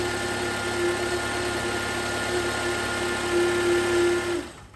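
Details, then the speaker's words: 2011 Toyota Camry, engine idling: steady mid-pitched alternator whine stops when the alternator connector is unplugged and returns when reconnected, confirming the alternator needs replacement. "When I connect this grip again here, you can hear it again. Remove the grip, it's quiet. Connect it, you hear it. So that confirms the alternator needs replacement."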